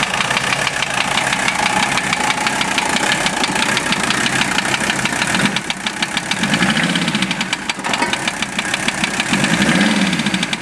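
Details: Warm OM617 diesel in a Toyota swap idling with a steady sharp knock keeping pace with rpm above the clatter; valve adjustment and cracking injectors didn't change it; owner suspects piston/connecting rod, cause unknown.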